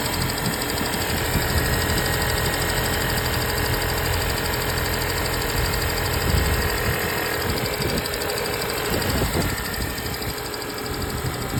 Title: 2025 Honda Civic hybrid sport engine ticking noise.